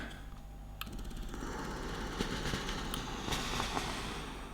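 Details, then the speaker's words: Beautural handheld garment steamer after freeing a stuck ball at the pump pipe end and bleeding water through: steady hiss with light uneven ticking about four a second, steaming reliably; the earlier machine-gun hammering is gone, normal pump operation. "I think it was that little ball that was just stuck on the end there and just needed freeing up. It's no longer making that horrible machine gun noise."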